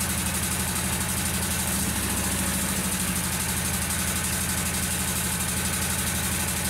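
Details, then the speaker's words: Kawasaki V-twin lawn mower engine, after ignition coil replacement, running rough with lumpy stumbling idle and bogging when blades engaged or in thick grass; cause found to be a leaking intake manifold gasket; rough running from vacuum leak. "i took it out again and i just it really was running really rough and then whenever i engaged the blades it really bogged it down quite a bit"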